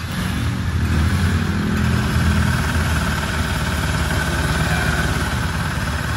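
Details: Rusi Rapid 150 scooter, GY6-type 155 engine, after head rebuild and replacing noisy parts (camshaft bearing suspected), started after repair: steady idle with soft, even low putter, no knocking or rattling; normal idle.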